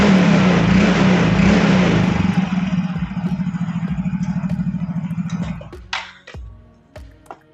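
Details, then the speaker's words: Yamaha Fino automatic scooter test ride after CVT service: pulls away and revs smoothly with even engine pulse and no shudder; clutch judder cured, attributed to dirty clutch shoes or clutch bell at secondary pulley. "kang Bro posisinya sudah saya coba jalan dan hasilnya untuk gredeg sembuh Kang Bro"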